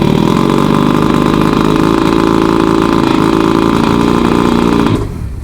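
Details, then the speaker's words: Roughly 50-year-old OMC 50 hp two-stroke outboard on muffs, after 5+ years of storage and new fuel lines and primer bulbs, cold start on choke: it fires instantly into a busy, even run with no misses; healthy start. "Boy, that lit right off too."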